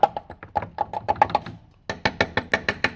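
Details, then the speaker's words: 2006 Toyota Auris SR180 on a jack, tapping the heavily coated sill ahead of MOT welding: even taps about six a second, each ring short and firm with no dull thud; this section of sill metal sounds solid. "sounds solid enough. Sounds like I could get to get some metal off there. So, that's pretty solid, right?"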